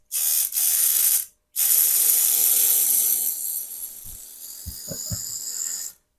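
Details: Roughly 25-year-old Privileg vibration massage machine's DC motor, powered from a bench supply, buzzing with harsh high ratcheting clatter; shaft rattling in a worn iron bushing, noise remaining after repair attempt.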